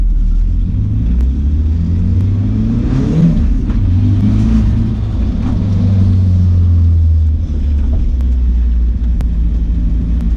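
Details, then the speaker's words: Nissan 240SX S14 with a KA engine and a stalling problem, warmed up, after cleaning the idle air control valve, a boost leak test and a knock sensor replacement. Revs drop low and rough after throttle release, almost dying before catching: the stall is still present. "it dipped down but it doesn't fall off like a doll"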